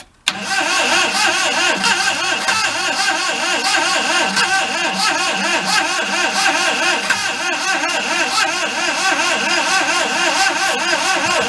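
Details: 1992 Daihatsu Hijet mini truck, bought thrashed: the starter whirrs steadily with a regular wah-wah compression pulse, but the engine never catches. Plug wires were found out of the loom, so someone has likely been in there; cause unconfirmed.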